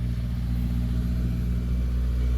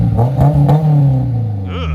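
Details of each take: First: High-mileage AP2 Honda S2000 first start after starter connector was found unplugged: low even rumble with revs creeping up slightly, no misses, knocks or rattles; engine running healthy. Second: High-mileage AP2 Honda S2000 with an aftermarket exhaust of unknown brand that spat out a rock on startup: a quick rev blip with a coarse, raspy, droning exhaust note, judged to sound worse than an HKS.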